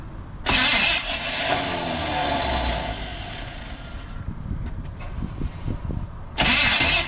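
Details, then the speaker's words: 1980 Chevy K20 4x4 with freshly rebuilt QuadraJet carburetor and new fuel filters, first start after filling the bowl: cranks, catches, runs rough a few seconds, fires again as it clears; fuel sputtering out the vent, possibly flooded, then picking up fuel. "She's sputtering out the vent. I might have flooded it. Go figure."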